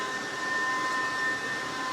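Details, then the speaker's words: Newly installed Kaeser Air Tower screw compressor running in a shop near machines: steady smooth airy hum with a faint constant high tone, no knocking or pulsing; slightly louder than the previous Air Center, quieter than a piston compressor; normal running. "I would say that the noise level of the air tower is slightly higher than the air center that we had here, but not a big difference at all. You can still stand here. You can stand here by the machines with it running. It's not intrusive. It's not loud and noisy like a piston compressor."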